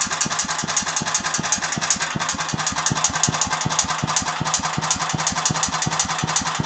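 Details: Agros walk-behind tractor engine: sharp regular knocks about three a second through the idle, most noticeable after one minute; engine knock, cause unknown.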